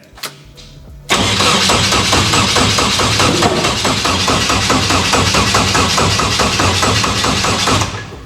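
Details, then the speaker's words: Nissan S13 240SX with a rebuilt KA24 engine and a new head catches with a sharp bang, then runs rough with uneven popping. It is backfiring because the ignition timing is off, to be checked with an inductive-pickup timing light. "timing's off that's why it's backfiring"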